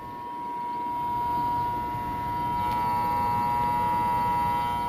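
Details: HVAC condensing unit with compressors not running and no discharge pressure, condenser fan motor: steady electrical hum at one pitch with no rising whoosh of blades; fan motor powered but seized, not turning.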